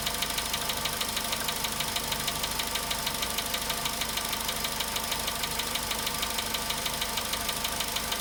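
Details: Volkswagen Polo Sedan at 93,000 km, cold start idle: a crisp, steady tick about one and a half times a second rides over the idle and never lets up; engine knock, source not yet found.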